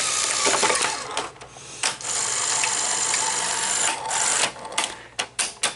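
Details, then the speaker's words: Sony SL-HF900 Betamax (711B chassis) loading a tape: whirring load mechanism then sharp clicks as the bottom solenoid pulls in, normal loading before play. "you heard that click when it clicked like that okay that solenoid down there on the bottom uh comes on and then you can now hit play"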